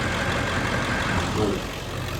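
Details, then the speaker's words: 2000 Ford Excursion XLT 7.3L Powerstroke diesel 4WD, heard at the exhaust: deep even clatter, steady idle, no misses or knocks; no smoke or blow-by; healthy idle. "Come back here so you can hear the exhaust. No smoke, no blow by, no rust, none of that, guys."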